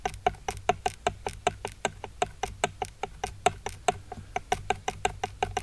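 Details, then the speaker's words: Hobbywing Max6 with 4985 1650kv motor in an Arrma Mojave EXB, spur gear rocked by hand: sharp, dry clicks about four per second. The pinion mesh is too tight and needs backing off. "That's a little bit too tight for my liking, so I'm going to go ahead and back that screw back off."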